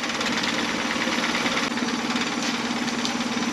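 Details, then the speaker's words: 2011 Mercury 9.9 four-stroke long shaft, after a full service, restarted after the kill-switch tests: steady even idle with a smooth firing rhythm, no misses, knocks or hunting; it starts perfectly and runs excellent. "then the engine does start perfectly and runs excellent"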